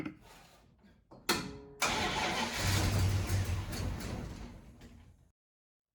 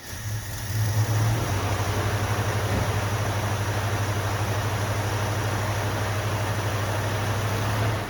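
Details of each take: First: 1974 Plymouth Duster 318 V8 after years neglected in the desert, fed gas poured into the carb; short cranking bursts, catches and runs rough a few seconds then dies; wiring arcing at an uninsulated connector: hard start after storage. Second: 1974 Plymouth Duster 318 V8, revived after years sitting, running after fuel system repairs with temporary fuel setup: deep, even burble at steady idle with no misfires or knocks before shutting off; runs smoothly, no fuel leaks seen.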